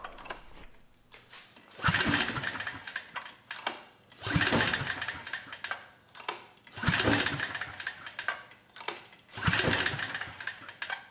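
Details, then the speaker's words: Generac 3500 W generator (GN220 engine) being recoil-started with starting fluid. Four hard pull-cord bursts spin the engine but it never catches. The owner suspects a closed choke blocking fuel or no spark; the plug later looks good. "still nothing yeah we should have got something so either the fuel isn't making it past the choke which might be closed or we're not sparking"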